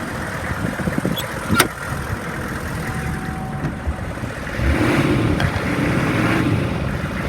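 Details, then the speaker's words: 2002 Hummer H1, 6.5 liter diesel, 33,000 miles, warm after running over an hour without overheating: steady idle, then throttle blips bring quick, clean rises in revs and smooth returns; responsive, normal revving. "Sounds good. I'll rev it up for you. It's very responsive. It revs up nice."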